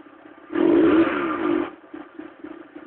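Short blip of revs with a rough clattery edge, then an uneven patter at idle; cold-engine noise whose cause isn't clear.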